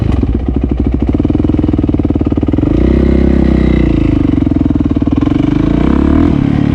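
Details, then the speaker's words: Yamaha YZ450F after a project build, ridden on a quick run around the block with audio from a chest-mounted camera: a crisp, even single-cylinder bark pulling cleanly through gentle throttle changes, no knocks or rattles; the engine runs normally. "It sounds so good"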